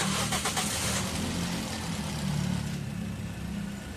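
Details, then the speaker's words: Toyota Vios engine, previously noisy when warm, after oil pan removal, sludge cleaning, engine flush and fan belt adjustment: starts and settles to a smooth, quiet even idle with no knock or rattle; engine noise gone. "Nakita nyo mga boss, pag start nitong makina, ang tahimik na niya, no? Nawala yung ingay sa makina."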